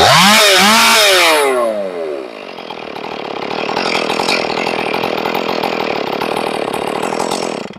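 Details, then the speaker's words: Ported Stihl 461 chainsaw after repairing a blown-out plug, final tune, restart test: fires, briefly revs, then settles into a steady, even two-stroke idle with no hunting or stalling; stable, sounds right. "Should be one pull restart every time or there's a problem. Sounds nice. It's stable."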